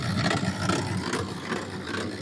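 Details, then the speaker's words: Automatic washer (lavarropas) agitating with a rough, uneven low drone and a rattly edge: broken gearbox (transmission). Overloading with clothes breaks it. "Esto pasa porque está rota la"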